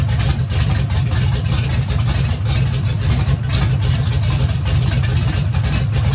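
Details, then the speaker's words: Turbo race engine at its third or fourth first fire-up after a teardown this year, headers fitted but turbo hot side not yet installed. Deep, loud, steady lumpy rumble with no knocks or rattles, the rebuilt engine running evenly and healthy. "So it seems to crank up, fire in the hole. We're good to go."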